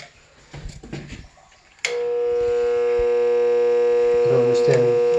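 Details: Marathon motor driving a newly replaced rotary vane pump on a reverse osmosis system: when switched on, a steady loud mains hum at a fixed tone and it never spins up. The internals turn freely by hand.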